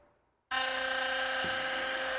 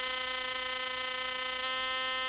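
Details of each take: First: Philips Sonicare electric toothbrush after long daily use: loud, harsh, steady buzz with a rattly edge as the brush-head shaft works loose and chatters with play; fix is tightening the screw inside to remove the shaft play. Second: Philips Sonicare electric toothbrush running normally: clean, steady, even-pitched buzz for about three seconds, then cuts off. A healthy brush motor, unlike worn units whose loosened shaft gets loud and vibrates. Normal toothbrush hum.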